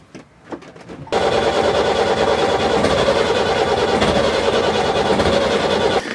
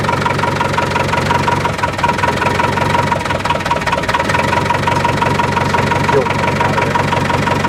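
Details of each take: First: Four-injector diesel being bled, injectors cracked loose one by one: steady, rough cranking about five seconds without firing properly, air in the fuel lines keeping it from catching; air in fuel system. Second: Boat diesel engine after bleeding air from the fuel lines and injectors, following an overheat from a failed impeller: steady, even clatter with no misses or surging. It runs smoothly with throttle on, said to be around 5,000 rpm when running right.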